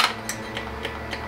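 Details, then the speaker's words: Honda Ruckus at key-on, after carb jet cleaning, repeated key cycles: crisp even ticks about three to four per second over a faint hum; fuel pump priming normally. "pump some fuel in there maybe that's a little bit excessive in the number of times i tried but it's okay"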